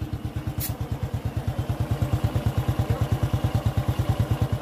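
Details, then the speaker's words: Honda Revo fuel-injected motorcycle, under a year old, idling smooth and even after tightening the noisy timing chain without replacing it; chain rattle gone, normal idle. "bisa mendengar suara mesinnya sekarang lebih halus. Jadi untuk injeksi Revo atau injeksi Supra pada umumnya, saya menggunakan metode ini."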